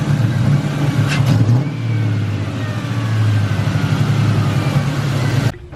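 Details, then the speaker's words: 1999-2004 Mustang GT after replacing the idler and tensioner pulleys (old tensioner had massive play and squeaked): engine revs up and settles with a smooth deep drone, no chirp or squeal; belt drive healthy. "no not turning on wait there's no squeak so that makes my squeak squeaking issue"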